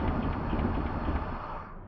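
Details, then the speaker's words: 1964 Cadillac with 429 V8 and Turbo 400, long derelict, started after cleaning cables and points and pouring fuel in: deep even rumble, steady, no knocks or misses; sounds healthy. "Okay, sounds healthy."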